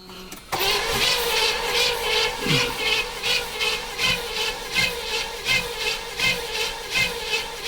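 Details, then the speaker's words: 1976 Chevrolet Nova stored in a garage for decades: steady, even cranking at a bit over one turn per second that never catches; cranks but won't start, with the choke suspected of not working and starting fluid to be tried next. "Wait a minute. I heard something then. Like, It needs to be choked, probably. I don't see the choke working."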